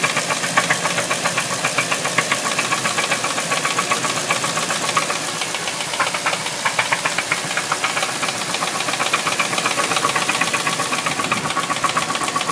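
Fast, fairly even light ticking sits on top of the running V8 with a hiss behind it; the cause can't be pinned by ear.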